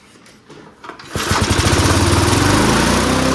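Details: Junkyard Bob-cat push mower engine after reassembling fan shroud, primed, at full throttle: catches after a few pulls and settles into a steady, even drone with no misses or knocks; healthy.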